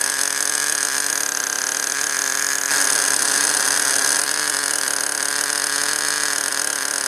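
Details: Small nitro glow engine idling at first start of break-in, before high-speed needle tuning; high buzzy steady even idle with no misses or surging, running normally.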